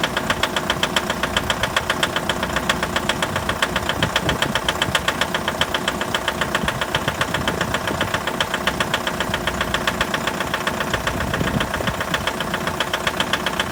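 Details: 2011 Mitsubishi L200 with 4D56 diesel at cold idle: sharp, regular knocking at about 150 per minute over the idle; cold-start engine knock, cause not identified.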